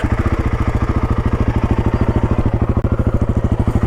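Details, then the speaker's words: Royal Enfield Himalayan 450 single-cylinder idling, exhaust tucked inside the bike. Steady, deep thumping exhaust beat, slightly Royal Enfield-like but mostly KTM-like, with tappet noise audible. Normal, healthy exhaust note. "You see that it actually sits inside the motorcycle, and it sounds pretty nice. It has only a little bit of a feel of a Royal Enfield. Otherwise it sounds a bit like a KTM."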